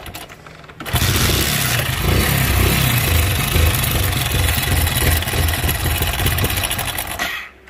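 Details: Hero motorcycle at about 15,000 km, broke down on the road and won't start: loud, uneven mechanical rattle and clatter when kicked, no firing rhythm; worn timing chain suspected, engine to be removed and opened.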